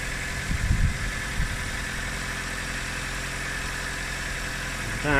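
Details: Nissan K11 Micra idling while warming up during an oil and coolant service: a quiet, steady idle with an even hum and no knocks or misses; the cooling fans cut in soon after; normal idle.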